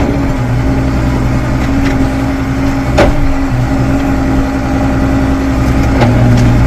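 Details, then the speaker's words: 1997 New Holland 8770 Genesis 2WD tractor, transmission being warmed up before calibration, in top gear; steady diesel drone with two sharp clunks, engine note dipping each time; harsh, noisy powershift engagement in some gears, owner hopes calibration reduces it. "Now we're in top gear. There's a little loud here and there in some of them gear"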